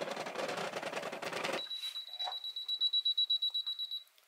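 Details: Brother XR3340 sewing machine, mechanism stiff despite cleaning; motor whirs briefly, cuts out, then about ten quick high beeps; E6 motor-jam error, root cause jammed bushing on bobbin driveshaft, possibly over-tight belt or dust.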